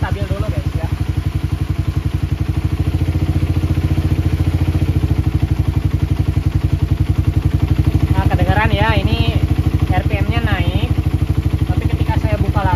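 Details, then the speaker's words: Motorcycle with PE carburetor just started, air screw at half a turn: idle beats lumpy and steady, revs climb then sag as mixture goes off while searching for the most stable idle, later found at one turn with 35 pilot jet. "ini setelan anginnya belum saya Setel ya masih di setengah putaran guys ya nanti kita cari raungan RPM tertinggi dan cari langsang paling stabil ya"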